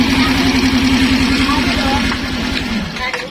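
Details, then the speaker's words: Suzuki Skydrive scooter with DC ignition, serviced for not idling: with the battery disconnected, the steady single-cylinder putter of about three and a half beats a second fades and dies, though it should keep running; possibly a faulty regulator/rectifier or wiring. "Serikat disaat kita lepas motor langsung mati untuk normalnya di motor Suzuki Sky Drive CW seharusnya tetap hidup"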